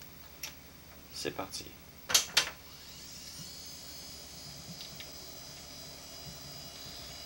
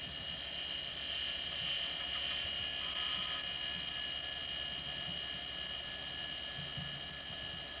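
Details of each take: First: Quantum Fireball CX 6.4 GB hard drive: handling clicks, then a thin, high, steady whine as the disk spins up, louder than another 6.4 GB Fireball, showing these drives get noisy with wear. Worn hard drive noise. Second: Quantum ProDrive ELS 127 MB hard drive from 1993, warmed up after an odd start-up noise: quiet, steady high whine with no clicking or scraping; heads silent. Normal spindle motor hum.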